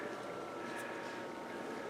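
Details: BenQ W1070 projector after a lamp assembly replacement (the old knock-off lamp had caused a no-light fault), lamp now coming on: steady, even fan rush with a faint constant tone and no rattles, ticks or scraping; running normally.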